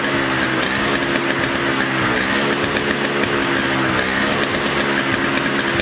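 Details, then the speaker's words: Two-stroke snow blower stored about five years after being run out of fuel, started on fresh 50:1 mix with choke: buzzy steady revs, no stumbling or surging, runs and stays running. "well there you have it it worked storing it that way running it out of fuel they ran and uh stayed running"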